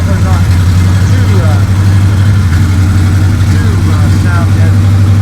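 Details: 1955 Chevrolet two-door station wagon V8 with a newly installed custom exhaust built from mixed parts, dumping before the rear axle: deep, steady, throaty rumble at fast idle with an even beat, no ticks or knocks; engine and new exhaust sound healthy.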